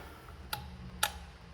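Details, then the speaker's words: 6.0 Powerstroke diesel swapped into a Mustang, power side of injector driver good: at key-on the injectors give only one or two faint ticks instead of the usual clicking; logic side of the driver or injector harness suspected. "and just nothing it makes like one or two clicks it usually click there maybe i'm not sure if you can actually hear it in the camera uh but it's just not clicking i'm getting one or two clicks"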